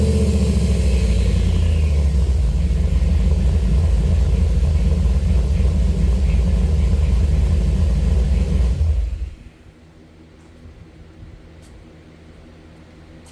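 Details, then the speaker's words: C3 Corvette restomod V8 after welding two 16" stainless resonators between the X-pipe and mufflers: deep, even rumble with no rasp or drone, then a clean shutoff; much less obnoxious. A pipe is rotating down, and a worn band clamp is suspected. "pretty good. Much less obnoxious."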